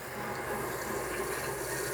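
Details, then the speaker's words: Aquatrol water softener installation, inlet bypass valve opened slowly during the 15-minute backwash. Soft, steady hiss of water filling the tank with no popping or air knocks, which would mean too much flow; normal fill. "But over this 15-minute backwash cycle, we're going to want to fill this tank all the way up and flush it out for a little bit."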